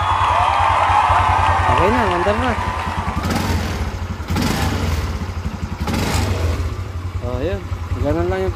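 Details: Yamaha Mio MX125 scooter that would not start, after its starter motor was cleaned: it fires up and settles into a steady, even low thrumming idle with music over it; it now starts and runs normally.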